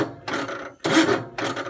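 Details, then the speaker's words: Gravely 432 with rebuilt Kohler K321 14 hp engine that seizes after a few minutes' running: three short rasping starter bursts, each stalling quickly as the engine binds; owner suspects excess compression, unconfirmed. "it gets to a point like that where the motor has so much compression you can't turn it over"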